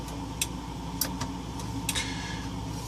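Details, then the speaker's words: DIY keg alarm: a leaf switch against the analog scale's armature clicks lightly and irregularly over a low hum as weight comes off, closing the circuit to the LED and buzzer. Normal operation. "it's set so that when weight comes off of the scale to a certain point it activates that leaf switch you can actually hear it clicking"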